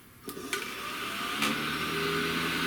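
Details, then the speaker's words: 1970 Buick Wildcat convertible rear defroster motor after teardown, cleaning and repair: small motor spins up to a steady, even whirring hum, constant pitch, no scraping or knocking, working. "hear it? Oh, she's moving. That's it, guys. She's working."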